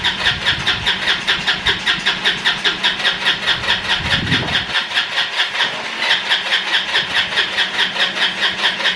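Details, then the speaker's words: Free roadside ATV, carbureted: long even cranking about two and a half turns a second with high starter whir, never fires; owner suspects fuel not being pulled from tank, trying quick start spray. No start. "Doesn't quite have enough to pull the fuel out of this tank. So we're gonna use a little bit of quick start here. See if we can get it to go."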